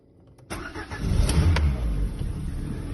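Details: Lada Granta with 127 16-valve engine that won't start cold: starter cranking with irregular, uneven firing attempts under throttle that never catch into a steady idle; cold no-start.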